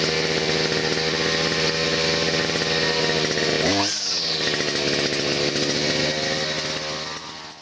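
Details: Chinese petrol grass trimmer after start/stop switch repair and new spark plug fixed stalling no-start: high steady two-stroke buzz, picks up cleanly on throttle blip and settles back smoothly; running normally.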